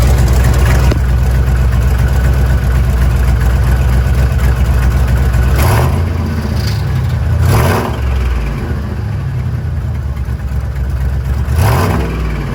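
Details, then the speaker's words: Chevy 8.1 Vortec V8 truck at idle: low rumble broken by harsh scraping bursts every two to four seconds; owner suspects a broken flexplate, unconfirmed. "Can you name that noise. I'm not sure what it is. I think it might be a broken flex plate."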